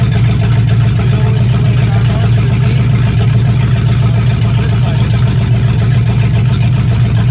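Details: 1965 Mustang fastback, 289 V8 with Tri-Y headers, first start after sitting 44 years, freezing cold day: even, deep V8 rumble at steady idle with smooth regular pulses and no knocks or misses. Normal idle; only a dripping carburetor needing a rebuild.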